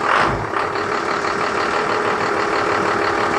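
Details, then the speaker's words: Junkyard trolley with a 12-valve Cummins inline-six diesel (P-pump, Allison automatic), long sitting, just started: even diesel clatter holding a steady idle with no surging or stumbling; a healthy, settled idle. "all right I'll fire it up run [Music] where's right up and it sounds pretty good"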